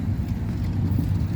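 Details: Chrysler New Yorker Deluxe at a car show, started after refitting the ignition key switch that had fallen into the dash: steady, even low rumble with no knocks, misses or odd noises; the engine settles into a smooth, healthy run.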